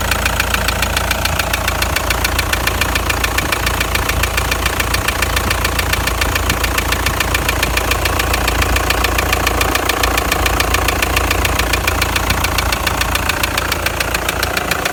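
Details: Toyota Land Cruiser Prado 120, 1KD-FTV turbodiesel, 366,000 km, idling with a steady regular knock above the normal clatter; began after towing a trailer uphill with a temperature rise; injectors bench-tested OK, endoscopy showed scoring in cylinder 3; cause undetermined.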